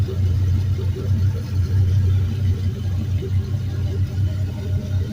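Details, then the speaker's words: Used 5.3L Gen 3 LM7 V8 from a 2004 Suburban, 140k miles, drive-by-wire, on test stand warming up (about 150°F coolant, 14.2 V charging): low, smooth, gently loping burble, no ticks or knocks; very quiet, normal idle. "this thing's awesome it's so quiet"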